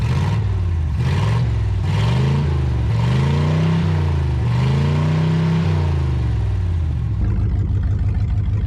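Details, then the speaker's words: Abandoned 1959 International B100 truck, first run: revs up and down smoothly, then settles to a steady, even idle with no misses; normal idle. "but that thing sounds pretty pretty healthy guys I'm really impressed with how good that [Music] sounds just drop right back down to a perfect idle"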